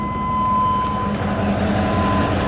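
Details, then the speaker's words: 1980s Chevrolet Camaro IROC-Z barn find with a new engine, OBD1 scan tool unplugged, idling at about 600 rpm, heard at the exhaust at the rear: steady, even idle with a settled exhaust beat, no misses or surging; normal. "you can kind of listen to the exhaust note perfectly normal as far as i can tell sounds just like it ought to sound"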